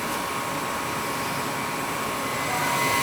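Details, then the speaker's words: Old gas furnace with a clicking complaint: once the blower kicks in, a steady even rush of air with no clicks or rattles; the startup click is attributed to the gas valve, ductwork also suspected. "So It is. The fans kicked in. It didn't make the noise."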